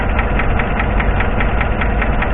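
Sharp, regular light tick about five times a second over a steady idle, a tapping that points to the top end. Cause suspected, not confirmed.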